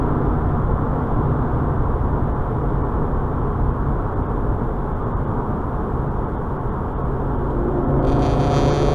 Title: Misfire 2 and 3